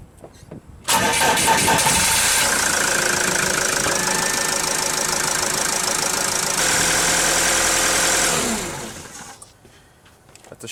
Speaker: you heard the valve i saw it also it's on the back and it closed you hear a clean shut off no shuddering promising